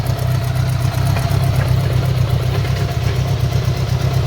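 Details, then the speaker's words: Honda Gold Wing engine in a budget bobber build running on one carburetor, uneven lumpy idle with driveline clunking; exhaust leak at the exhaust joint, likely the crush gaskets. "hear the unevenness in the engine here that drive line clunking around i'm sure we've got an exhaust leak over here maybe oh yeah"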